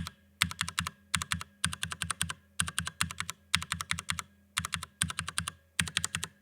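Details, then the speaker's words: Cherry MX Brown switches on a Drop ALT keyboard, fully lubed (spring and housing): even clacks in bursts of four to six presses, small rough bits smoothed out, no scratch or rattle; smooth keypress. "so it's just a little smoother just all those little bits are just sort of smoothed out"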